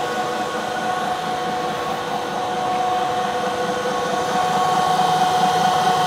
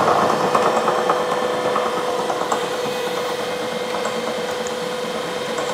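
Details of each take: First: 1 HP Bridgeport R8 milling head on a converted planer, 5-inch 45-degree face mill, finish pass on bar: steady spindle hum with light constant cutting hiss, no chatter or squeal; smooth finish. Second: A 1 HP Bridgeport R8 milling head on a planer drives a 5-inch face mill over hot-rolled bars about 0.030 in out of square. Irregular light ticking, roughly three a second, over the spindle hum: an interrupted cut catching only one side.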